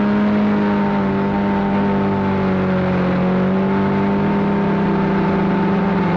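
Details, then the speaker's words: Arctic Cat Cheetah 440 snowmobile bought for about $50, previously running rough, ridden after repairs, camera on front of dash: steady, even two-stroke drone at constant pitch, no misses or rattles; shifting all right, running good; normal running. "anyway it's shifting all right it's try it she's running good"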